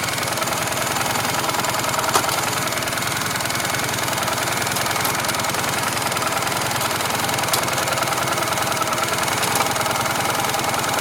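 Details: Motorcycle idling hot after riding a while: a fast, light ticking over the engine note, about three ticks a second. It disappeared when the engine was restarted about 5 minutes after being switched off.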